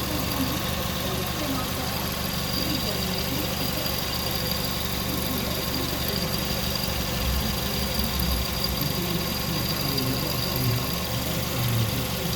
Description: The Idler pulley was making weird sounds, possibly because it needed to be replaced or the tensioner adjusted.